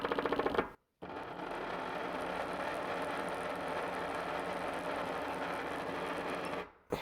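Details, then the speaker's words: 120-125 W brushless motor driving a Morse taper 2 grinder spindle via 3D-printed pulley and pulley-stock gear, sitting on glass: rough, chattering run with rapid rattly pulse; mismatched belt profile makes the toothed belt skip teeth. "So you can see it's running quite rough. It doesn't help that it's sitting on a piece of glass, but actually, so the glass really makes it quite a bit louder, but I don't want any of that vibration. The problem is the belt profile."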